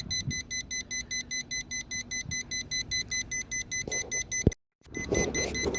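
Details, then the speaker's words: Schumacher 1200 A portable lithium jump starter: rapid high beeping, about four a second, warns that it has spent a good amount of energy boosting without the vehicle starting. "so what's happening right now is this portion that has all the circuitry, it's saying, hey, there's something wrong. I just expended a good amount of energy"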